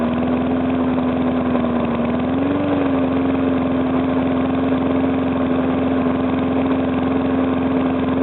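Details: Briggs & Stratton small mower engine started for the first time after a rebuild, idling smoothly and evenly with a steady hum and no knock; the earlier knock came from compression leaking past the piston, fixed by rearranging the rings and cleaning.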